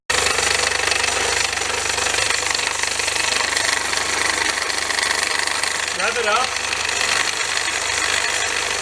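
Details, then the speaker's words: 2002 Honda Civic Si EP3, K20A3 engine: loud, fast, uneven metallic rattle over the running engine, audible in-car at 70 mph, plus squealing; the belt idler pulley visibly wobbles and the belt is sloppy. "rattling like crazy again it's like rattling so bad I can hear it in the car while I'm on the interstate"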